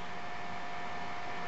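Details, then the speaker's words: Marco/Nidek OPD Scan ophthalmic instrument, running with its case open after the failed fan with shot bearings was replaced and two other fans cleaned: steady, soft, even whir with no rattle or wobble. The cooling fans run normally and quietly. "but they're in good shape now this whole thing's running nice and quiet as you can hear this thing's open and it was really loud with that other fan we took out"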